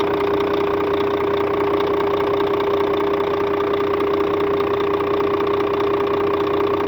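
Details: Scania K400 bus, DC13 13-litre 400 hp (at 1900 rpm) diesel at normal operating temperature, customer-reported strange noise: idle with a steady high whine over an uneven tapping about 2.5 per second; abnormal engine noise, cause unclear.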